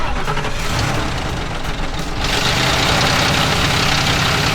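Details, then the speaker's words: 2004 Ford Crown Victoria 4.6 V8, unused for a year, started with a jump pack, battery likely dead: cranking catches partway, then settles into a steady, even idle pulse; starts and runs fine after long storage. "You can't argue with the old Ford 4.6 reliability, I tell you what."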